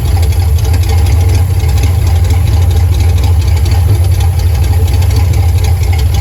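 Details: Carbureted car with ongoing fuel pressure problems idles with a loud low drone and a slightly lumpy beat. Owner says it's starving for fuel, cause unknown. Rough idle.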